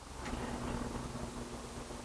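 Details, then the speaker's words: Retractable awning motor after rewiring and wall switch replacement, power on and switch set to open: faint, steady low motor hum as the awning extends, no grinding or clicking; works properly. "Let's make sure it works. Up should make it open, and down will make it closed."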